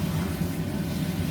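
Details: Baxi Combi 133 HE Plus boiler after diverter valve and actuator motor replacement, hot water running: steady low hum, no knocking or gurgling; stays cold as it should, primary water goes to plate heat exchanger, boiler working properly.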